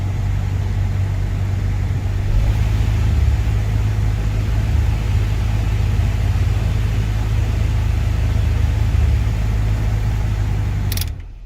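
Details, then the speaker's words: Toyota Camry 4-cylinder after repair and reassembly: smooth low rumble holding steady about ten seconds, no dips, surging or stalling; normal idle. "so well everything done now so let's start the vehicle so we finished now everything is done um on the inching area so we should be fine right now"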